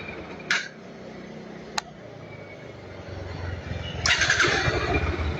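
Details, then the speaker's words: 2022 NS160 FI after fix for idle RPM hunting up and down: soft, even low idle holding steady without hunting, apart from a couple of sharp clicks; earlier hesitation on throttle gone, response quick; normal idle. "yan oh. So hindi na siya pag-op pagbabago na. Tapos kanina pagka binirit mo siya parang may palya siya kumbaga parang may hangin. Ito wala na yan. Mabilis na pati yung response ba."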